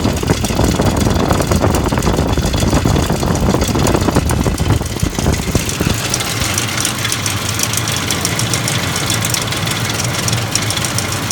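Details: 2004 Ford F150 engine knock: loose, uneven knocking at roughly under two per second riding over a rumbling idle; source not yet pinned down.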